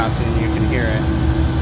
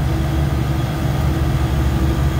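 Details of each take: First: Beer walk-in cooler scroll compressor during pump-down: low steady hum with hollow rushing, no load change; still cold suction and hot discharge line but internally bypassing, compressor needs replacing. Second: Beer walk-in cooler compressor being charged with suction throttled: steady even hum, no knock or squeal; drawing about 13 amps against roughly 14 amp run load, pressures good; normal running.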